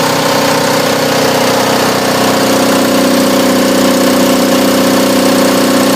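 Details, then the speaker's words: Onan DJB 6 kW diesel generator with new muffler, housed in a shed after a cold start (about 48°F): loud, steady diesel clatter at even idle, no misses or surging; normal idle. "it's not la at all so you know there's the sound test I'm very happy with it"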